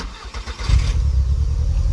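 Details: 2000 VW Golf Mk4 GTI 1.8T AGU petrol at idle: lumpy, uneven low beat, severe misfire with engine shaking and fuel smell, traced to a failed ignition amplifier on the airbox, before replacement.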